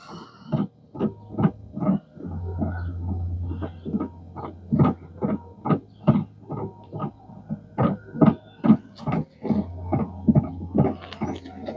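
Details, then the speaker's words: 2016 Chevrolet Equinox replacement (Chinese-made) wiper motor runs with uneven rapid thumping over a low hum; the new motor itself sounds terrible and noisy. "that just a motor making that noise [Music] that sounds terrible terrible hmm"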